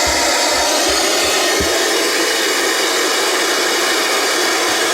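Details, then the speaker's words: IXT DVD/TV/radio/karaoke unit, apparently brand new but not playing discs, in TV mode: even steady hiss with no tone or rhythm; set working, untuned static with no signal. "The TV works, makes noise. Volume. Okay, let's get rid of that noise."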